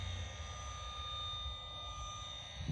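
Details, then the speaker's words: KGZ Z200 automotive circuit probe tester breaker finder: steady high electronic tone with quiet hum, no rising pitch or beeping; normal no-fault sound. "The normal noise, if there's nothing wrong, will be this."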